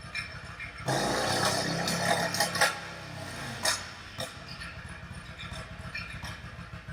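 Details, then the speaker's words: Yamaha V Star 1100 V-twin bobber, after opening pilot mixture screws about a turn and a half: uneven running with irregular sharp pops; rear cylinder still popping, mixture suspected. "at this point then it was just the real cylinder that was popping still"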